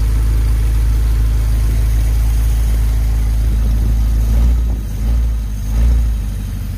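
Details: 1951 Pontiac Chieftain engine idling while warming up to temperature after coolant fill: steady, even low rumble, no knocks, misses or squeals; no coolant or oil leaks seen, healthy.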